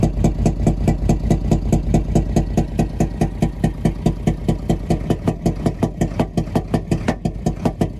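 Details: Nissan UD FE6 six-cylinder 24-valve truck diesel; rough idle with heavy chuffing knock about every beat, loudest at intake/air filter side; leaking intake valves, faulty camshaft and valve seals found on head removal.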